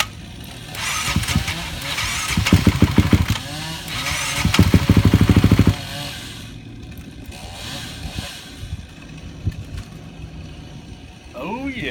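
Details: 2006 Honda CRF450X supermoto, first start after rebuild with replaced right crankcase, 98mm cylinder and Wiseco piston: starts with a bark, stumbling uneven revs, lumpy hunting idle; rough running, carburetor needs adjusting.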